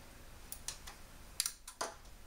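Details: LG 32-inch plasma TV with no picture or sound, back removed: sharp dry relay clicks repeat at power-on while the set fails to start; fuses tested okay.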